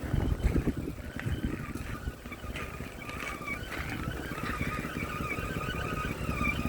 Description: 2011 bmw x3. I have this intermittent whining noise from engine area. can't figure out what it is.